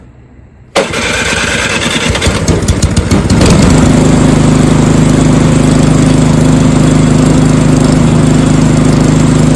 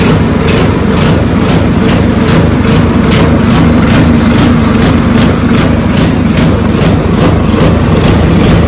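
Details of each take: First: Snowblower small engine after carburetor replacement to cure surging: cranks in choke position, catches after a couple of seconds, then a steady even drone with no hunting or surging; normal running. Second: Snowblower small petrol engine, electric start, throttle at rabbit (fast): quick, uneven pulsing surge; owner believes it runs lean and the carburetor needs replacing; tank clean with slight sediment.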